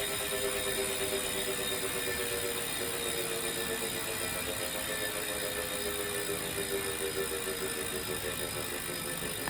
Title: Wahoo Kickr Core Grinding Noise